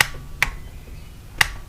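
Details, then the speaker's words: Brand-new outboard starter solenoid from a Force 120 hp motor, bench tested with a meter showing about 12 volts: three crisp, sharp clicks, each firing cleanly as power is applied; it works after an earlier suspected bad connection. "The thing is brand new, so we can hear it clicking."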